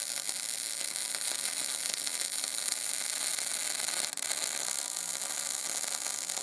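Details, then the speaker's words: MIG welder with Binzel-style gun after replacing liner, same settings, machine and wire, poor fit-up with big gap: even, steady frying sizzle with no sputtering or dropouts; smooth MIG arc, no liner issue. "besides that that was a very big gift and a really poor fit up the machine didn't miss a beat it wasn't a liner issue this time"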